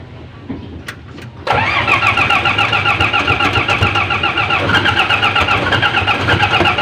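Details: 24-volt owner-type vehicle with 430 engine that would not charge: starter cranks briefly, engine catches and settles into even, steady idle with no knocks or misses; alternator fine, rusty fuse box cut supply to voltage regulator.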